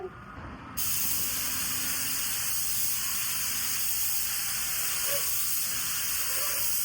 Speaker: we had this screwed too far in, so we were not getting enough paint. That's why you're getting that squealing noise.